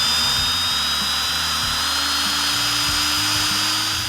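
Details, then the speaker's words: 1971 Cuda engine being oil-primed with a drill and pressure gauge: drill whines freely with rising pitch, not yet lugging down, as the oil pump hasn't caught prime and loaded up. "Okay, so it hasn't loaded up yet. You'll see it on the gauge when it does."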